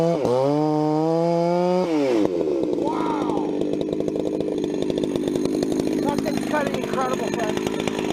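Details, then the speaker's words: Vintage 266 chainsaw, recently started after sitting a while, bucking firewood: two-stroke winds up to a high scream, then drops into a steady loaded buzz while cutting; strong, clean pull, normal cutting. "okay that 266 is eating wood I'm going to get set up better here"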